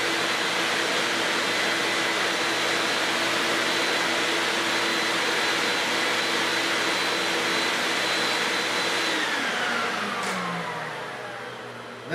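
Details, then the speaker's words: Auction-find Lincoln Electric X-Tractor 1GC fume extractor, wired for 120 V (15 A on high), in auto mode on low after welding: strong, steady suction roar with a faint whine, then it winds down and stops as it shuts itself off. It works fine. "when you start to weld, it starts sucking. And this thing sucks. But it moves a high volume of air at low speed"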